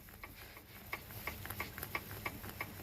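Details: Moskvich 2141 with UZAM 1.7 engine at idle: light sharp ticking about three per second with a steady beat; piston knock suspected in the fourth cylinder.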